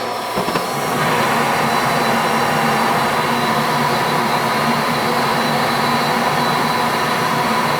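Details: Goodman gas furnace, previously not heating, after new 20 µF fan-run capacitor and new main control board: steady, even rushing hum with constant low tone, no rattles, cycling or grinding; normal operation.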